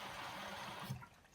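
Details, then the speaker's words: Bosch WFL246SGB/01 washing machine on a test wash, Easy Care 40°C with 1000 rpm spin selected, cold fill only: steady rushing hiss of water entering, tapering off. Fill sounds clean and unrestricted. "Sounds good, there's water coming in. This one's a cold fill only."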